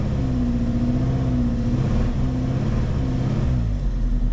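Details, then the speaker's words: Cheap used Vauxhall Astra with the engine light on and a misfire: deep, rough rumble with a puffing chuff that swells as it revs, from an exhaust that is blowing. "Exhaust is very much blowing."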